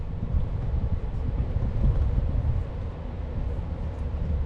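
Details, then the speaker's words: Old Rheem forced-air gas furnace after replacing the seized, overheated blower motor and fixing transformer and thermostat faults: a steady, deep airflow rumble with no squeal, rattle or scraping. The blower runs strong and even, blowing harder than before. "you can even hear it blowing in there come here feel this now yeah that's better that's nice"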